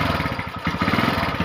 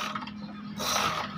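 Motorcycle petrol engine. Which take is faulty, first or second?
second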